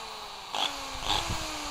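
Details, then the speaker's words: Bosch GBM320 electric drill motor hums with a harsh, fizzy crackling hiss, burning smell and visible sparking inside; internal arcing in the motor, before disassembly. "ก็เบื้องต้นนะครับมีกลิ่นเหม็นนะครับกลิ่นแล้วก็มีเสียงเหมือนไฟช็อตไฟแลบนะครับข้างในนะฮะ"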